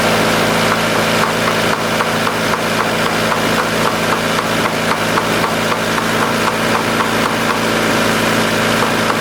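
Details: 1990 Honda CRX DX holding a fast steady idle around 1750 rpm, above its roughly 1500 floor, no dip or hunting; suspected vacuum leak, hiss near the brake booster, behind fast idle and bad mileage.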